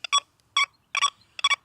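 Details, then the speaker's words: XP Deus II metal detector at default settings over an iron ring and small spade: four short choppy high beeps with uneven gaps, a forced, not smooth signal; falsing on iron. "Well, this is what comes with time and experience with this machine. That is a very forced signal. It is a not smooth signal."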